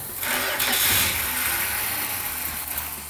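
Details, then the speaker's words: 1971 Dodge Demon 340 V8 Six Pack, restart after resealing and tightening at the leak: catches quickly into a strong even idle, no misses or knocks; a little rough at first start, quiets once warmed up, runs great with no leaks. "okay so the engine sounded really good they all rout a little bit when they first start out but it didn't take long to quiet down once it warmed up it ran great and no leaks"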